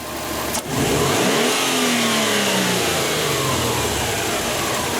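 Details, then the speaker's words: Subaru turbo engine after cleaning dirty hot-wire MAF sensor (P0171 lean, hesitation): sharp throttle blip, revs climb quickly and fall cleanly to idle, noticeably faster revving; normal throttle response. "you can actually hear how much faster this engine revs too you can hear it you can see it"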